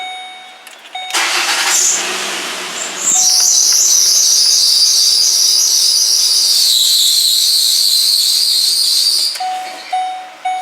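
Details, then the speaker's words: 2006 Ford Explorer 4.0 V6, 118,000 miles, after new tensioner and idler pulley: engine starts, then loud wavering high-pitched serpentine belt squeal for several seconds; cause a failed, chewed-up harmonic balancer, belt had come off. "started it up and it started squealing let me give you let me start this for you so you can hear the [Applause] squealing"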